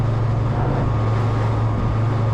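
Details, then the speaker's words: Datsun 1200 (Nissan Sunny) truck at cruise on the road: a thin, steady whine rides above the road rumble, fine on throttle and fine off throttle but there in between. This points to differential whine; the owner wants a limited-slip diff. "hear that diff when you're on it's fine when you're off it's fine when you're doing that there it is"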